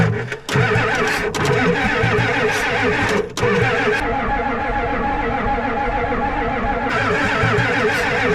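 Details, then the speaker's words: Ford 7.3 IDI diesel being revived, glow plugs switched off, cranked over long bursts: even starter cranking with no firing and no smoke seen. It won't start because the glow plugs get no power. "so the glow plugs are all off we're going to wheel it over till it starts to get a little smoke and then uh see if she goes back to factory default"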